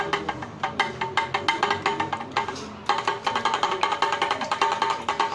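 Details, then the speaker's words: Citroën C4 Lounge suspension: sharp hollow tec-tec clicks with faint metallic ring from the removed original Kayaba shock absorber, whose rod has opened up play; often wrongly blamed on the bump stop. "eu vou mostrar pra você o que é aquele tec tec que muitas vezes mecânico quer trocar batente que trocar beleza e não é é o amortecedor você vai ver que ele abre uma folga na arte olha só"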